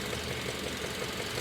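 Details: 2016 Kia Optima GDI, 78,000 miles, check engine light with code P1326, recorded near the lower left of the engine by the pulleys and belts: steady fast knock over smooth idle; source unknown.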